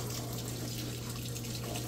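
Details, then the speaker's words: Samsung king-size-capacity top-load washer with a heavy load of towels and jackets, filling: a steady rush of water into the tub and through the dispenser tray over a low, even hum. A normal water fill. "all right filling up with water and hear it"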